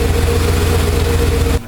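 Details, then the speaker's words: 1995 Cadillac Eldorado Touring Coupe after A/C compressor delete, pulley shimmed with washers and belt refitted, test fire: steady deep rumble with no ticking or grinding; engine running cleanly and true. "It's running pretty true now."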